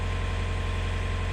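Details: Canal widebeam narrowboat diesel at idle after fixing a no-start caused by a starter relay fuse: low steady even throb, nothing knocking or rattling; healthy settled idle.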